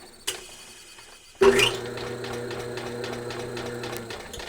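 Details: VEVOR 550W drain cleaner machine, motor started via air-activated foot pedal after fixing its crushed switch: motor kicks in sharply and holds a steady, even hum with no knocking or grinding; runs healthy.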